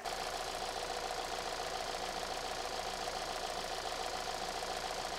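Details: Hyundai after replacing fouled spark plugs that caused a misfire: petrol engine idling smoothly with an even, steady pulse and no misfire stumble.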